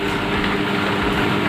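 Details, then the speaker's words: Electric fan motor, repaired after humming without turning, on speed setting three: steady, even hum with a low drone and no scraping or buzzing; fan now spins smoothly, normal. "lalu ke nomor tiganya ya jadi Sudah berputar lancar rekan-rekan"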